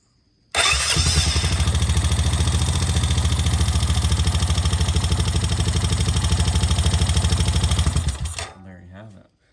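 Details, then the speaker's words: 2010 Honda Rancher 420 ATV after replacement with a Caltric starter: fast, even, slightly higher-pitched cranking at about three pulses a second for several seconds; starter spinning strongly. "it sounds like it's pretty pretty fast it's got a little bit higher pitched sound to it and it sounds like it rolls it over pretty fast"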